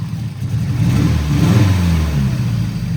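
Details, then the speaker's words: 1989 Nissan 240SX with newly installed upgraded injectors (assumed 1050 cc), manifold, turbo and intercooler piping, at 60% injector duty; engine revs unevenly with a lumpy stumble unchanged when cylinder two is unplugged, unlike cylinders three and four: dead injector; compression passed. "Cylinder four, it changes. But look, cylinder two, nothing. It kind of wants to get better, but then it doesn't get better. So, I'm thinking this injector is bad."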